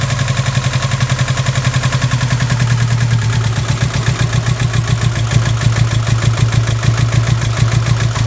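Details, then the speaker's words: Subaru Impreza EJ18 four-cylinder at idle, intake manifold swapped from old engine: uneven lumpy stumbling pulse with clatter, like a cylinder not firing despite new leads, plugs and reseated connectors; misfire cause unknown. "so yeah as you can hear it doesn't sound like it's running on all four cylinders and I've changed all the leads changed all the plugs undone all the electrical connectors and done them all up again and she's still the same"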